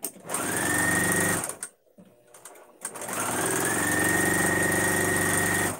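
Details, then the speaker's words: Sewing machine stitching with signature thread treated with mineral oil: two even bursts at about four stitches a second with a faint tick on each stitch, a strange clicking, cause not pinned down. "you hear that clicking very strange"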